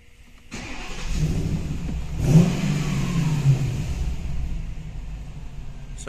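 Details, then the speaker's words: Mercedes W221 with M273 engine stalls on starting, increasingly often: it catches on the key and keeps running only on held throttle, revving unevenly with no settled idle, stalling repeatedly; cause unknown. "Завожу машину уже третий раз и глохнет. Смотрите еще раз. Четвертый раз. Вот что за дела?"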